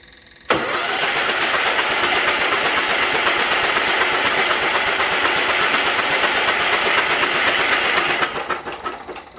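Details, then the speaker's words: Case 446 tractor after swapping in a Kohler Magnum engine taken from a Cub Cadet, oil pressure tubing redone, first crank before any start: steady fast starter churn, about four compressions a second, no knocks or binding; cranks over freely. "we're just going to go ahead and crank it over right now and just make sure there's nothing in the cylinder bores or anything, and just make sure that it cranks over."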